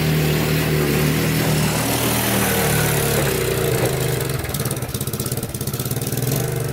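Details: Abandoned Yamaha Breeze ATV on a cold Wisconsin day, test-driven after fixes: a small single revs up and settles into a steady pulsing run under load, picking up cleanly with throttle. It runs and drives, with forward, neutral and reverse working; normal running.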